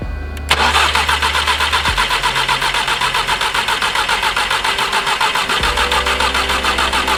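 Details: Exocet cranking fast and steady at about 3.5 beats a second, never firing. Owner suspects a stuck-open fuel injector, after pulling the plugs and disconnecting a fuel line. A fouled plug or the unplugged MAP sensor is also considered.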